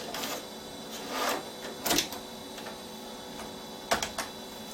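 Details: Compaq Proline 4/33 486 PC, first power-up after over 10 years: quiet room with short bursts of buzzing seeks and clicks every second or two; floppy drive keeps retrying, never reads, alongside a hard drive failure.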